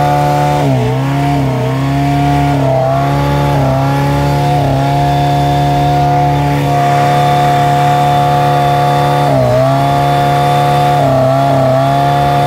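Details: 1989 OMC Cobra 2.3L four-cylinder boat engine: steady drone dipping and stumbling every second or two, an intermittent misfire; owner suspects an electrical cause.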